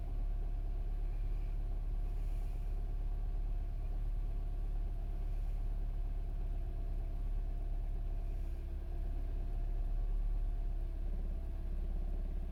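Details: 2008 Mini Cooper S R56, 123,000 mi, cold start after sitting 2 days at about 50°F: deep, slightly uneven, lumpy idle; engine had difficulty starting, cause unknown.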